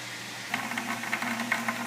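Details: A Singer 6-inch single rolling diaphragm pressure reducing valve at about 110 psi static, flowing a slow stream through 3/8-inch braided tubing into a bucket, gives a steady water hiss with splashes. There is no chatter or hammering: the valve is stable at low flow, unlike a flat diaphragm.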